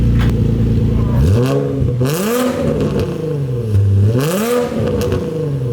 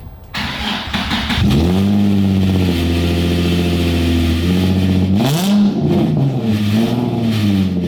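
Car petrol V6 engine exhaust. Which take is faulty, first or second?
second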